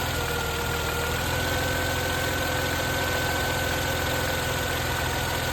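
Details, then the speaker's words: Chrysler Crossfire with a crank-no-start, left running until it dies on its fuel: a steady idle with a thin whistle and no clear stumble yet. The cause is fuel starvation from cheap, water-contaminated petrol. "So let it die. See what running on fumes looks like. There we go."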